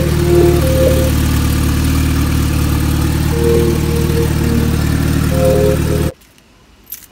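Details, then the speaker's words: Car just fitted with a new turbo, running on an open downpipe with the muffler off. Steady idle with a loud raw exhaust rumble and smooth firing, no knocks or misses; it runs normally. "so the cars all done she sounds good I'm over an open dump tube right now"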